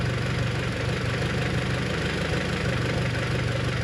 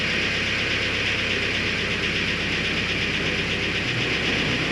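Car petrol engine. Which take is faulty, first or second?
second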